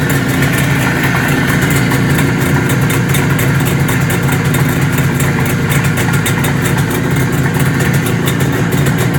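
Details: 1973 IZH Jupiter 3 350cc two-stroke motorcycle with 6-volt system, revived after years unused with points set, carb done and wiring repaired: even, quick ring-ding putter at a steady idle, no misses or stumbles; normal idle.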